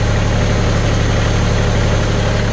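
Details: TC25D 25 hp three-cylinder diesel tractor running a three-point log splitter at about 1,500 rpm; steady, even low drone with no knocks or misses; running smoothly and healthy under load.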